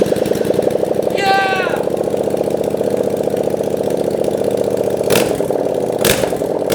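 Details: 700cc Yamaha FZ-07 engine in a Honda Grom build, first start, no coolant system connected; crisp even firing at quick idle through loud open exhaust with sharp clean revs, idles super well, runs healthy.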